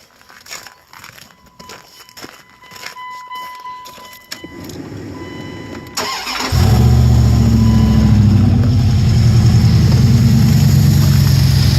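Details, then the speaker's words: 1999 Dodge Ram 1500 5.9 L Magnum V8, which knocks when cold, after water pump and thermostat replacement and oil treatment: cranks, catches and settles into a steady, even idle with no knock audible this time. "well of course now it's not doing it so I"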